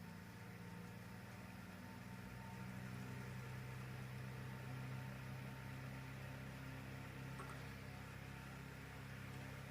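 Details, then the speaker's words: Ball-bearing motor-fan salvaged from a destroyed room heater, fed 200 V AC from a variac: soft, steady low hum with even pitch, no rattle or grinding; quiet at 150 V, motor stays cool. Healthy motor. "we're at 200 volts AC now I can actually hear the motor running the vibrations"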